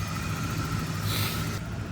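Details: 1986 Ford F150 idling after fuel system work (both tanks and sending units replaced, reservoir cleaned): steady low rumble with faint constant whine, no knocks or misses; small oil leak, exhaust smoke, fuel system not leaking; normal idle.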